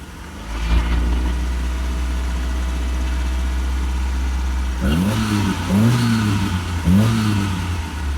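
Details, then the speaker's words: 2000 Mazda Bravo B2000 van converted to LPG, very high kilometres: steady idle then sharp throttle blips, engine uneven and lumpy, slight hissing near converter; rough running misfire, MCV secondary dashpot suspected, possibly exhaust leak, not confirmed. "now the car has a bit of a it does have a bit of a roughness or maybe there's an exhaust leak or something"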